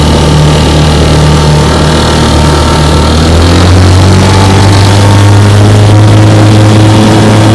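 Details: 1958 Johnson 3 HP JW14 two-stroke outboard, fully restored with a rebuilt magneto and lower unit, warm, under load pushing a boat about 5 mph: a steady, even drone whose pitch settles slightly lower midway, firing smoothly without misses; healthy.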